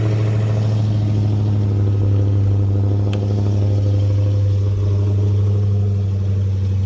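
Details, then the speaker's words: 2016 Dodge Challenger Hellcat after supercharger replacement at 4,800 miles for bad ball bearings, remote cold start: deep steady fast-idle rumble, even, no whine or rattle from the blower, healthy. "so here we are now I'm going to show you guys essentially what a proper well-working no bad ball bearing supercharger should sound like"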